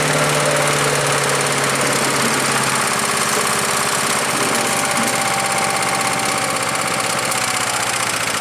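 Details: Earthquake chipper/shredder small engine labouring on thick branches: roar with constant chopping and shredding clatter, no clean recovery; larger limbs went through poorly, owner suspects knives need sharpening, unconfirmed; engine bogging under load.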